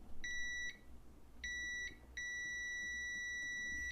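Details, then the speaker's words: Copal 229 flip clock alarm switch, normally closed contact, tested for continuity with the button not pressed: clean, steady high beeps, so the contact conducts properly and works correctly. "It's working correctly."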